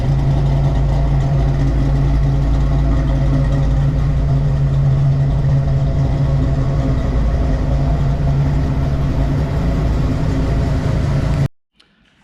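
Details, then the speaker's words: 1993 Mustang Cobra V8 with new H-pipe and Flowmaster American Thunder exhaust, warm after first drive since 2010: throaty steady idle, no misses, noticeably fast; high idle, cause not yet found. "so yeah idle's a little high so i gotta check that out but i'll let it cool off go over everything"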